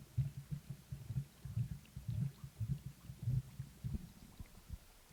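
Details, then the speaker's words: Canister filter on a 29 gallon dirt-substrate planted aquarium, primed by pumping after cleaning: low uneven gurgling pulses about 1.5 per second as trapped air bubbles out while it draws water in; normal priming. "And then you can hear it filling up. I don't know if you can on the camera, but and there's all the air coming out there, sucking in through there."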